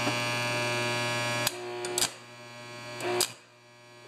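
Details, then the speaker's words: AC welder switched on to repair a broken starter tab on a John Deere TRS 24 snowblower: a steady low mains buzz with a bright upper hum and brief clicks, the normal buzz of an AC welder. "Turn on the welder. You hear that buzz? That means it's a AC welder, not a DC welder. They buzz that much more."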